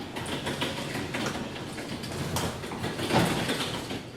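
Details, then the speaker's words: Garage door disengaged from its opener and raised by hand after lubricating the spring pulleys: smooth rolling rumble as the door travels up, with no squeaks or creaking from hinges or rollers. The door runs quietly. "sounds good to me don't hear any um any uh hinges creaking or anything"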